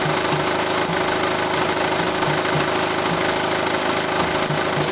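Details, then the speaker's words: Kia All New Carnival 9-seater diesel at idle, coolant clean, oil changed 1000 km ago: steady even light diesel clatter, no knocks, rattles or extra noise; healthy engine. "야 진짜 잡음 하나 섞이지 않은 디젤차 중에서도 엔진 소리가 좋은 편에서 파는 차량인데요"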